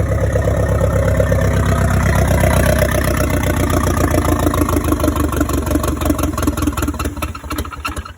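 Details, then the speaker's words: Audi 80 cabriolet with a 1.8T AEB engine conversion, first start on the modified ECU after the new loom: fuel pump heard, then it settles into a steady, even idle with no knocks or misses. Normal idle. "Let's see if it starts and runs on the modified ECU. And there you go. Oh, so it's running."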